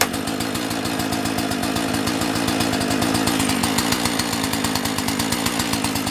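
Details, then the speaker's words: Owner's second two-stroke chainsaw, unused for about two months, said to sound like a little dirt bike: a crisp, rapid rattling run with steady firing and no misses or bogging; healthy. "let's see what the crack is with this one is this one gonna this one sounds like a little dirt bike when this one goes"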